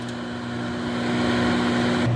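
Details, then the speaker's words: Whirlpool microwave after repair of a no-heat fault: steady low mains hum with an even drone and no rattles or buzzing while it heats water, which boils within about a minute; heating normally. "you hear it it's humming it's purring just like a cat"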